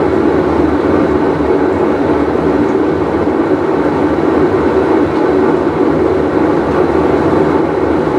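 Loud, steady, train-like rumble with no water sounds, holding level throughout; a worn tub bearing growling under load.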